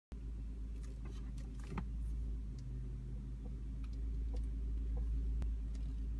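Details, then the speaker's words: Audi S8 D3 suspension creaking, irregular short creaks and ticks over a steady low hum, heard when raising or lowering the air suspension; also occurs when turning. "That creaking noise. Right there. You can hear it when you lower or raise the suspension."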